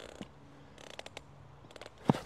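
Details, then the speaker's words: Nature Hike folding camping chair: quiet scattered ticks, then a sharp creak as weight shifts. Moving the short tubes makes the frame creak under load; the bolts seem tight and the source was not found. "ale to krzesło, kurde, ono skrzypi. Ono skrzypi."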